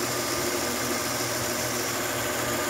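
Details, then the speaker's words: 1997 Honda Accord 2.7L after replacing harmonic balancer/crankshaft pulley with a used junkyard part, belts refitted; steady even idle with smooth whir from belts and pulley, no wobble, squeal or knock; power steering pump and alternator turning; normal idle. "Alright, both belts are turning. Power steering pump and alternator are turning. Belts are straight. Pulley down there is good."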